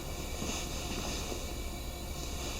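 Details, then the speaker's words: Vintage Tilley paraffin pressure lamp, restored after arriving in pieces, lit after preheating the vaporizer twice and about 40 pumps: a soft, even, steady hiss with no sputtering or pulsing, the burner running normally under pressure. "Hey, we have blast off, and I can hear it hissing away like a good one."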